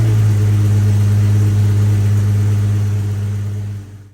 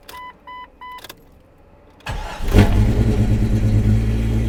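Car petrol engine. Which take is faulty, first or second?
second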